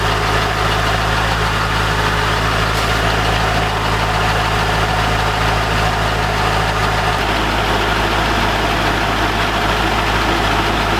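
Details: C5 Corvette V8 first start after 4+ months of repairs (harmonic balancer and front subframe replaced), in neutral: deep, even idle with steady rumble, no knocks or misses; healthy.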